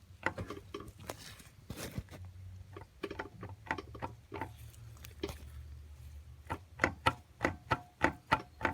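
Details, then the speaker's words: 2017 Ford Escape 2.5L, right front drive axle: sharp uneven clunks as shaft is rocked, visible up-and-down play; intermediate shaft support bearing loose and spinning in bracket, needs bearing or shaft assembly and probably the support assembly. "You can hear it, and you can see that up and down movement. Well, that's not good at all. That means it's going to need a bearing or a shaft assembly, and probably this whole support assembly here that bolts up to the back of the block."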